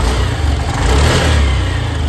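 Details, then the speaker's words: Honda Activa BS6 scooter after a new spark plug, original petrol filter already fitted: engine rises from idle and revs up cleanly with no stumble or jerking that it had before; smooth acceleration. "ठीक है, लेकिन अब देखिए क्या है कि उस problem को बिल्कुल भी एक बार भी नहीं करा। नहीं तो उस बार जब हम प्लग नहीं लगा था तो जब भी रेस लें तो आपको ये झटके लेते थे।"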